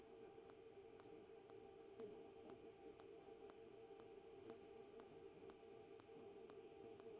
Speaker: So, I don't know if you can hear it on camera, but you You can actually hear the arc kind of clicking between its high and its low. So, it's just a really aggressive high and low, high and low, high and low.